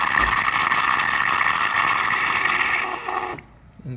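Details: DeLonghi Nespresso Lattissima Pro brought in for not frothing milk, tested without milk after cleaning: loud rattling pump buzz steady for about three seconds, then cuts off cleanly, with steam pulling water through the frother normally.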